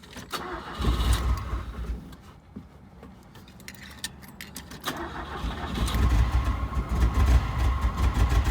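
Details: 1980 Fiat 124 with refurbished engine (new number two connecting rod, transmission synchros redone), first start after priming fuel; cranks and catches into uneven lumpy idle, owner suspects dirty injectors; oil light on, no oil pressure.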